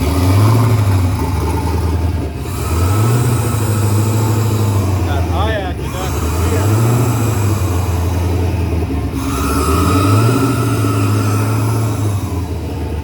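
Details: Turbocharged Chevy S10 at fire-up; it started oddly, likely because an earlier idle-screw adjustment threw off the IAC and idle, and it seemed all right once readjusted: a smooth engine blipping up and down, settling to an even, healthy idle.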